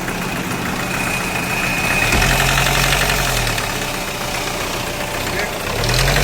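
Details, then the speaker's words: Hyundai Creta diesel, knocking after an engine job and a timing tensioner replacement, with back compression, white smoke and a starting problem: hard, rhythmic clatter of about four knocks a second that swells with revs. "Engine में से कड़कड़ sound आने लगा तो check करते हैं इसका sound सबसे पहले गाड़ी"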